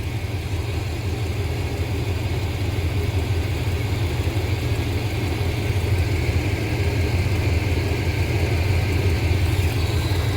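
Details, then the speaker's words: 1987 squarebody Suburban with swapped 454 big block, warmed up: low V8 idle around 700 rpm, uneven and wandering, vacuum not steady; timing found 19 degrees advanced, causing the unsteady idle. "So we're okay in our vacuum. Not ideal, not as steady as I'd like, but that's okay. Our idle is at 700, give or take."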